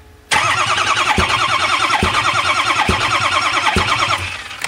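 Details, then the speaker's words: 6.0 engine cranking with the intake open: sharp pop about once a second in the intake, indicating a collapsed/bad lifter; engine turned out to need a full rebuild. "if you wonder if you have a bad lifter listen to the popping in this intake"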